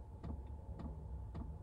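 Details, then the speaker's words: Diesel air heater in a converted Royal Mail van, lit by one glow plug: soft, evenly spaced ticks about every half second over a low blower hum. This is the fuel pump normally dosing fuel into the combustion chamber. "That's the pump pumping the fuel around into the combustion chamber."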